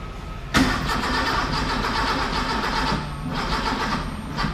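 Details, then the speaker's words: Car with carburettors, cranking on start spray: starter churns at an even pace with no chuff or catch; spark suspected to be firing at the wrong time, and the spark plug leads are wired in the wrong order. "Now, see how, could that be the spark at the wrong part of the cycle? Too advanced or retarded or something, but it's not firing at the right time."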